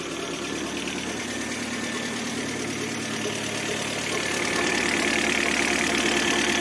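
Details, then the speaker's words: Citroen C5 2006, 1.8 petrol 125 hp, at idle: steady whirring hum from under the timing cover at the belt end; tensioner suspected, compressor bearing also hums, but the cause was the water pump bearing. "się pod osłoną rozrządu słychać hałas nito napinaczem to alternator wielka pompa wody"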